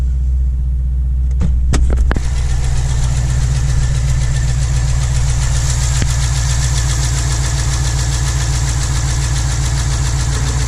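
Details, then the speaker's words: 2009 Holden Commodore VE 6.0L Gen4 V8 starts after brief crank, idles lumpy and shaky with recurring stumble, running rich with smoke; idle misfire traced to a broken pushrod (dead cylinder). "So there we go, we got it started. It's just a little bit shaky."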